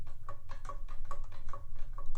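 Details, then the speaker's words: 1989 McLane edger before restoration, blade rocked by hand: light sharp clicks about every 0.4 seconds from a ton of play between blade and pulley; worn blade spindle bearings. "the first thing that I noticed when I started taking an in-depth look at this guy was here the bearings the bearings shot in this guy it's kind of hard to tell but there's a ton of play on between the blade and pulley you"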